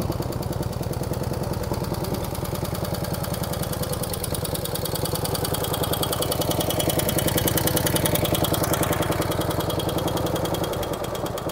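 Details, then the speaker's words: Cold start of a 1949 Harley-Davidson FL Panhead Hydra Glide with a loping idle and light tapping from the upper end. Solid lifters are suspected and the pushrods need adjusting. "today I'm going to go ahead and cold start this 1949 harley-davidson FL panhead cut a little bit of tapping noise out of the upper pans we're going to go ahead and adjust the pushrods sounds like it has solids in it"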